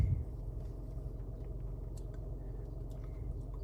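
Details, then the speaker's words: Hyundai Accent 1.6L engine after a budget rebuild with aftermarket parts, about 60 miles since repair (about 110,080 total), no trouble codes: steady, even low rumble at idle with no misses, knocks or stumbles; normal healthy idle. "Engine runs great."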